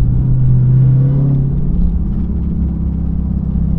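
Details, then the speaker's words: Dodge Hellcat automatic that drives and shifts fine: heavy low rumble with an uneven churning, skipping beat, about four a second, only when lifting off the gas, and seemingly getting worse. Owner suspects a center bearing or torque converter, as on a previous failure; not confirmed. "it sounds so gross it sounds like something skipping in the inside it drives perfectly fine it shifts up perfect like perfectly fine but as soon as I let off the gas pedal crazy ass noise"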